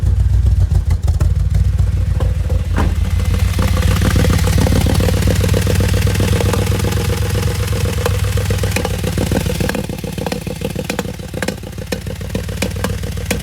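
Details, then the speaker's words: 2008 Audi S5 4.2 V8 FSI naturally aspirated direct injection, manual: lumpy, uneven idle with irregular clattery pulses instead of smooth V8 burble; rough idle, cause later diagnosed by in-cylinder and exhaust pressure analysis. "This is an Audi A5. It's a 4.2. It's an FSI engine, which is a normally aspirated direct injection engine. That's it there. And it is just a bit poorly."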